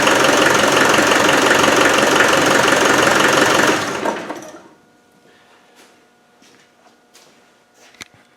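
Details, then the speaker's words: Land Rover 110 300Tdi diesel after fitting electric fuel pump for hard starting: even steady clatter about four seconds, then shut off and winds down; sounds healthy, no back pressure. "uh yeah it goes well look at this you know no back pressure excellent"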